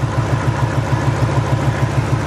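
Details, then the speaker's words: Ford 4.6 modular V8 at idle, coil unplugged test: steady idle with a faint regular hitch in the exhaust beat; unplugging cylinder two's coil changes nothing, so cylinder two is misfiring, plug versus coil still to be checked. "the idle still the same I'm going plug it back up and the idle still the same that tells me it's cylinder number two"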